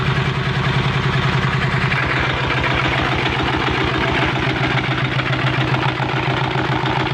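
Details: Diesel engine started after fixing water leaking into the oil: quick, steady single-cylinder thump, even beat, runs smoothly with no miss or knock.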